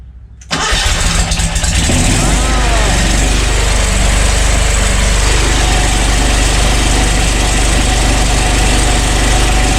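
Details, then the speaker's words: Wright Stander ZK mower, about five years old, after replacing the starter to fix slow, sporadic hard starts: short crisp crank, fires within half a second, then settles straight into a strong, steady idle. "so okay that's pretty impressive i like that all right so the new starter did the trick"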